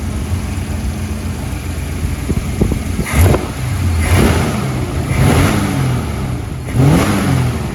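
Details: Holden HT 308 V8 after cracked exhaust manifold repaired with MIG welding and bolt/stud clearance adjustment: deep, steady idle with several smooth throttle blips, no ticking or puffing between revs; exhaust sealed, normal revving.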